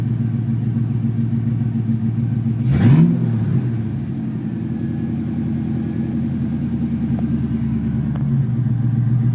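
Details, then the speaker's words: Ford Mustang GT 5.0 V8 that intermittently stalls at idle (owner suspects idle air control motor), just timed; smooth steady idle, one quick rev rising and settling cleanly back without hunting or dying; fault not appearing. "I'm going to see if it'll do it right now. Probably not, but we'll try it. All right, it's idling good."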